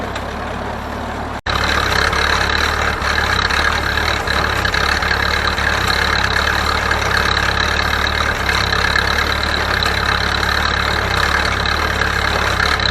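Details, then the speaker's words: Ferguson TO-30 tractor, bought from a scrap yard, running a hay baler; steady engine note dips rhythmically each time the plunger packs hay, normal loading and not a fault. "you can hear the motor like that's normal that's plunger every time that it packs the hay that's what's do it it'll do a diesel the same way man that's perfectly normal"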